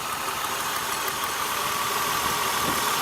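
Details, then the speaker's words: 2002 Acura TL V6 idling with one ignition coil unplugged during a cylinder test: uneven rattling rough beat; flashing check engine and TCS lights, misfire traced to a bad coil/spark plug, replaced. "So, I pulled this one out and you can hear the engine rattle. It's a little rougher right now."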